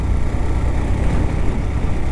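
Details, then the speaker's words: New Yamaha FZ-S Hybrid 150cc during a mileage test on half a litre of fuel, near 24.4 km: low engine thrum surging and faltering, jerking as the fuel runs out just before the engine stops. Fuel starvation stumble. "So మళ్ళీ జట్కా ఇస్తుంది."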